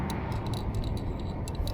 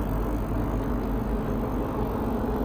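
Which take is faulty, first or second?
first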